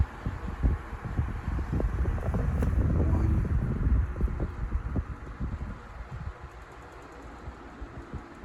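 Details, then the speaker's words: Lasko 12-inch 2500 table fan (around 2007) on low speed: uneven low thumping wobble about four times a second, and the head starts moving around. Vibration is worse on low, possibly from cheap construction or a past fall, not confirmed. "seems like the vibration gets worse on the low speed it's got some different sounds to it"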